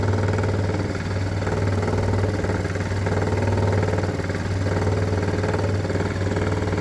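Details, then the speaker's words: 2016 Ford Expedition with a rubbing-noise complaint, idling: a faint buzzy rattle about four times a second from a loose fuel line vibrating on top of the tank. It stops when grabbed and shifts with throttle; the line needs securing. "And yeah, when it's running, I hear a noise. To me, it's a vibration. Look at that. It's a fuel line vibrating."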